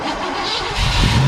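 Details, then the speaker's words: 1980 Chevrolet Cutlass from a scrap yard, unregistered since 2018 and sitting for years: short crank, then it catches at once and settles into a deep, rising run; brakes went to the floor afterward, with hissing heard. "No way! IT FIRED RIGHT UP! WELL, you all you all handle it."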